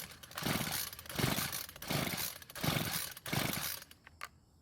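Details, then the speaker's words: Homelite string trimmer, fuel added and primer bulb checked, cranked with about five pull-cord strokes; whirring cranks with no firing at all, won't start. Owner suspects the carb isn't delivering fuel to the engine. "unfortunately it didn't start which could mean the carb is not working to deliver any fuel to the engine"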